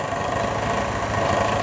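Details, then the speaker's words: Vespa ET4 scooter while idle is adjusted: turned lower than it should be, it gives a slow, uneven low putter, the motor working to stay alive; idle speed set too low. "i'll go i'll go actually lower than i should see that's almost too low the motor is kind of working to stay alive"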